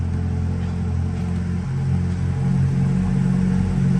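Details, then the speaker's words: Chevrolet Corvette C8 with newly installed transmission, codes cleared, shifted into Drive: steady low engine rumble pulling away evenly with no jerks, clunks, jumping or hops; normal drive engagement. "hey it drives good no more jumping no more hops"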